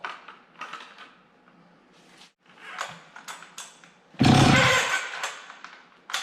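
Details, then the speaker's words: Stihl 031 AV chainsaw, about 1974–76, unrun about 5 years, carb cleaned, air cover off: after quiet cord pulls it catches on ether for a short rough burst and dies; fires only on starting fluid, cause not confirmed. "all right one more pull and then I'll throw some ether to it okay so we'll see about some ether take the air cover off"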